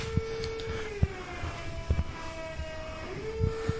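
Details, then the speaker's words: Mazda FC 13B-RE with MR2 electric hydraulic power steering pump on stock rack, no speedo signal connected, 245 front tyres: constant mid-pitched whine dipping briefly then recovering, a few clunks; noisy pump, small leaks present. "well pump's a bit noisy um got a few little leaks happening around the place so just going to tight them up"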